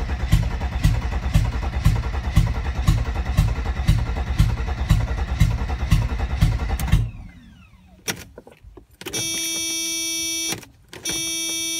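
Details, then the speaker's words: 1992 Mercedes 300TE with no catalytic converter or muffler, cranking without throttle: even starter cranking about two turns a second for seven seconds, seemed close to catching once but never fires; crank no-start. "there was a time that it sounded like maybe it was going to start there"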